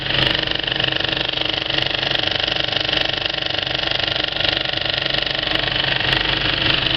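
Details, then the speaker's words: Kinoton FP30D cinema film projector on an old Speco LP270 platter, well threaded: a soft, regular clatter at about 2.5 beats per second. A wrongly set wiggle loop would give a harsh sound instead. Normal running. "if it's not threaded up very well then it sounds different namely you get the um namely you get the um wiggle loop um wrong it just has a harsh harsh sound to it when it's threaded up really well it's got a really nice soft kind of"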